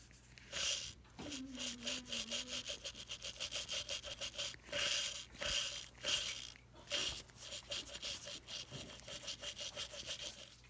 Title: Bad Bearing